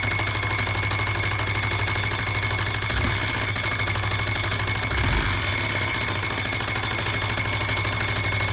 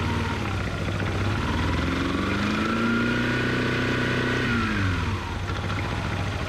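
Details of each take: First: 2005 Yamaha Majesty 400 scooter: engine revving high without holding speed, loud harsh scraping racket until shutdown; nut fell off the front variator pulley, loose pulley scraping the CVT cover. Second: 2005 Yamaha Majesty 400cc scooter, reassembled with new variator parts, revved: revs rise and fall smoothly with even whirr following engine speed, no slipping, rattle or clatter; normal CVT operation, yard ride no weird noises.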